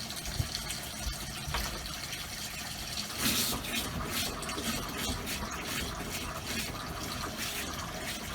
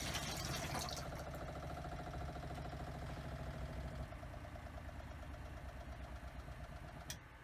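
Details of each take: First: Motorhome habitation water system after installing new Shurflo pump, running the bathroom tap: water rush with irregular spits and gurgles; air still purging from the line. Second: Newly installed motorhome habitation water pump, run on caravan battery: even pulsing hum easing as pressure builds, then switching off cleanly when taps close; pump repressurises and stops normally, quieter than before, no leaks.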